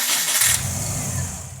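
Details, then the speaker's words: WRX turbo-converted car, first start after the conversion and an O-ring fix: starter spins briefly, cranking fades without firing; turns over but won't catch, owner claims to know the cause. "Make it run. Do >> it. It doesn't. >> It doesn't want to."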